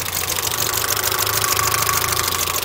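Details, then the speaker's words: Mitsubishi Galant VR4 after long storage and a dead battery, idling not quite at operating temperature: fast, loud ticking clatter over the engine, louder than a comparison Eclipse, fine when revved; noisy valvetrain, cause unclear. "I'm kind of worried that this engine is... the valves are too clackety. Just listen to it."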